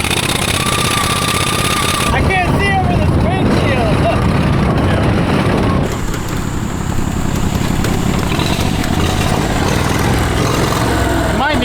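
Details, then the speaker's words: VW Beetle with 670cc V-twin lawn mower engine, newly turbocharged, first start: uneven lumpy beat with turbo whistle rising and falling, like running on one and a half cylinders; mixture too rich, needs rejetting. "So, you can hear the turbo whistling a bunch, but it sounds like it's running on one and a half cylinders."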